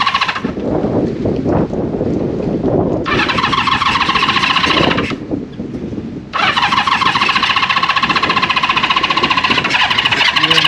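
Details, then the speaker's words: Honda CB550 four-cylinder running on its own fuel through the carburetors after starting fluid: it fires and runs raggedly, then stalls each time the clutch is released. Owner suspects the neutral switch is cutting it off. "So I don't know if the neutral switch is still shutting it off when I let go of the clutch. I would say it definitely would be."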